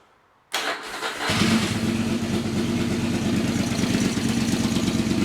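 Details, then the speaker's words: Yamaha XV1000 Virago, high-compression build with 750 heads on the 1000 engine and about 180 psi, first cold early-morning run; catches quickly into a steady, even, loping idle with no knocks or misses. A backfire followed afterward. Normal idle. "I'm happy with that."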